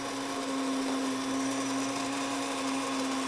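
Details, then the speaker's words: Grain mill near the end of grinding: steady high motor whine and even grinding hiss, before it spins down and winds up to signal it's done; normal grinding. "You'll hear it start to spin down and wind up here a little bit, and that means it's done grinding."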